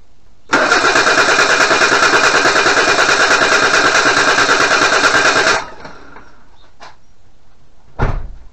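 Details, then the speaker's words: 1988 Suzuki Vitara 1600 automatic, first start attempt after sitting 18 years: steady cranking about three turns a second, even compression, never fires; crank no start, later traced to fuel pump fault, converted to electric pump. "definitely a crank and no start so where to start I think the first thing is to see if we have a spark because it needs a spark compression"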